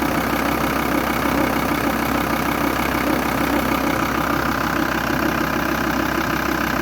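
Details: VW T4 2.5 TDI (AUF engine) at idle: a steady diesel idle with a rhythmic knocking rattle about three per second; the vacuum pump is faulty.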